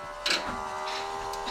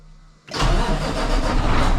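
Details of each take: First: 2022 Kenworth W990 with a Cummins X-15, at key-on after a fuel filter change, cycling the key to prime. A steady low electric hum with a couple of soft clicks: normal fuel primer pump operation. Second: 2022 Kenworth W990 with a Cummins X-15 diesel, first start after changing both fuel filters and priming by cycling the key four times: the starter cranks evenly for several seconds, but the engine never catches. Cranks, no start.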